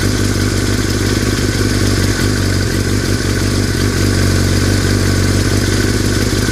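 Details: 2003 Yamaha R6 that started rattling after a trip to Europe: busy idle with uneven metallic clatter, three or four rattles a second; source unknown, unclear if normal or affecting performance.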